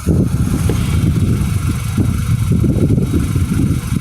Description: A video of the ticking sound we're struggling to get diagnosed on my 2011 Mini. It comes and goes and doesn't change frequency/speed with the engines.